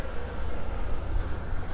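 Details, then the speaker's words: Gen 2 Toyota Prius brake bleeding without a scan tool: with the bleeder valve open, the ABS pump runs quickly to maintain pressure, a steady low electric hum without a break, normal operation. "open this bleeder valve I hear it pumping it is trying to maintain pressure okay so now it's pumping away and it really is pumping quickly"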